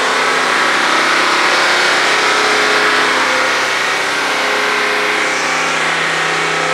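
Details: 2021 Mercedes-AMG GT63 S V8 after a full engine strip-down and rebuild, held stationary at about 3000 rpm: a steady, smooth, even drone with no surging, stumbling or rattles; the fault code did not return, so it is fixed.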